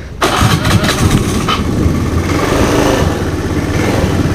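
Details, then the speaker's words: Honda Beat FI injection scooter after repair, which used to stall or bog at small, half or full throttle: engine catches at once and settles into a smooth, even putter, now running normally. "Tadinya kan gas kecil atau gas setengah atau gas full dia mati atau enggak bisa jalan ngegjed sekarang udah bisa nih"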